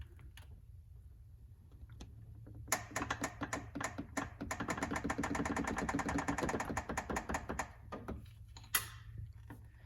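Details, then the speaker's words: 2008 Lamborghini Gallardo Spider being lowered slowly on the jack: dry, rapid ticking creak as the front and rear bushings of the front upper control arm stick and slip, before bushing replacement. "i'm going to slowly let this down and just listen for that creaking sound it's actually coming from the front and the rear bushing in that upper control"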